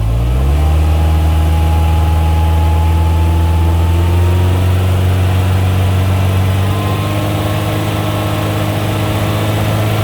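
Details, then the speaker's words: Engine installed last week, revving at about 3100 rpm: rough running with a heavy, uneven dead misfire on cylinders 1 and 4 that persists off throttle and shakes the car body and windshield. "Misfire number 1 and 4. Now I'm going to let off the throttle. Massive dead misfire."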